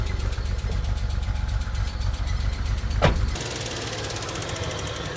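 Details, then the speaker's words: Abandoned Nissan R34 Skyline Neo engine after lifter tappet fix and concentrated injector cleaner, before adding coolant: lumpy, uneven idle with a loose knock about four a second, maybe slightly quieter than first start; cause still unknown. "It's still making noises, but it might be making a little bit less noise compared to when we first started."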